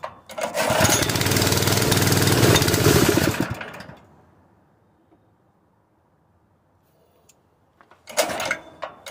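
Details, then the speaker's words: Honda GX160 single-cylinder engine on a portable air compressor, converted from gasoline to propane, runs rough and uneven for seconds, dies, then sputters again; owner suspects the cam compression release or a worn valve train (weak valve springs, valve job needed). "it's so sensitive D so easy I'm beginning to think that the compression release on the cam is messed up or something something is wrong with this"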